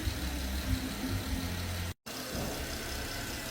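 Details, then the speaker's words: 2013 Porsche Panamera idling after timing chain replacement for P0016 stretched chain, about 20 minutes run, no codes, no leaks, no fan yet: quiet smooth idle, steady low hum, no stumble or rattle; running on time. "about 20 minutes of run time no no ptcs no leaks we sounds great no fan yet"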